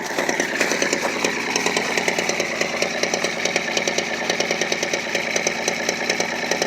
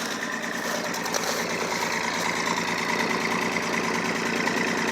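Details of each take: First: Straight-six 4WD pickup with dual exhaust, cold idle at 23°F; one exhaust side (three cylinders) puffs unevenly with skipping beats, a misfire present since purchase; the engine has an oil leak and a tick. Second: Old 4WD pickup, inline six-cylinder with dual exhaust (three cylinders per side), cold start at 23°F, leaking oil; steady cold idle at the exhaust with firm, fairly even puffs about three per second; owner notes a long-standing misfire on the other side.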